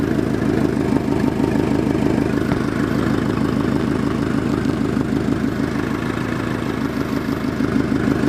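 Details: Subaru WRX at steady idle: a quick, even puffing tick on each exhaust pulse, about three per second. During tuning the FP Blue turbo spooled about 1000 rpm later than it should; a boost leak is suspected and an exhaust leak is confirmed.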